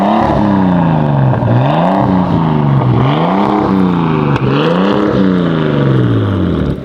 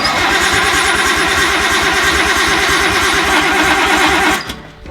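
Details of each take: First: Nissan R32 Skyline 4-door, first start after five to six years unused: revs swing up and down, then settle into a steady, even idle with no knocks or misses. The engine sounds healthy, though the turbo has failed (oil found in the boost/intercooler pipe). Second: R32 Nissan Skyline not started in over 5 years, first start attempt: steady fast cranking chug, about three beats a second, never catches despite spark; fuel problem suspected, possibly fuel filter lines fitted the wrong way round.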